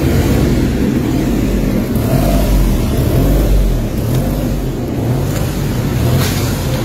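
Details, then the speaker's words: Suzuki K6A engine warmed a few minutes, idle RPM rises then drops repeatedly ("breathing"), no trouble codes stored; idle drifts up and back down over seconds: idle hunting, cause not yet found, scan and voltage tests planned. "So mangyayari guys doon na ano lalabas iyung sakit na iyung tataas yung revolution tapos babagsak yung RPM. So humihinga yung makina."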